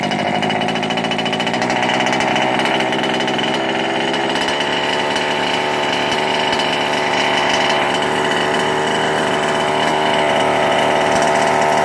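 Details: Ikilly 2 small two-stroke after clearing a flooded engine (carb removed, engine cleared): high, buzzy note holding an even pitch throughout without stumbling or cutting out; running properly.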